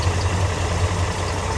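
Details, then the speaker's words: 1957 Chevrolet 3100 with 350 V8, aluminum heads, headers and dual exhaust idles with a deep, even rumble, running smooth; a squeak possibly from the belt or a pulley, probably the AC clutch. "Running smooth."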